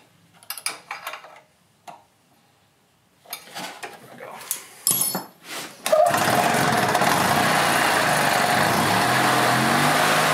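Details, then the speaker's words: 2006 EZGO TXT gas golf cart, formerly a crank no-start from water in the fuel, after the repair work: in neutral, the small engine catches and settles into a steady, even run with no stumbling; it sounds healthy. "[Applause] [Music] seems to be running pretty good now"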